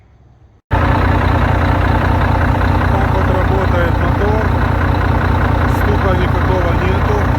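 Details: Volvo D13 truck diesel that knocked after a valve adjustment, now reassembled after repair; it fires up and holds a steady, deep idle with no valvetrain knocking. Normal idle.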